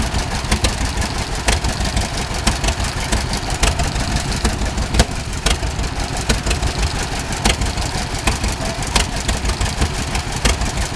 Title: Great Oregon Steamup tractor with neat idle; exhaust leak